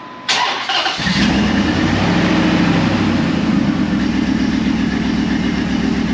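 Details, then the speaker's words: 2004 Dodge Ram 1500 SLT: cranks and catches after about a second, settles into a steady even idle with no ticking from the front, so timing chain likely not off as a mechanic claimed; cam position sensor code present, cleared, sensor replacement planned if it returns. "i can't hear a note ticking from the front which would be the only reason the timing chain would be off like the other mechanic said or what i've been told"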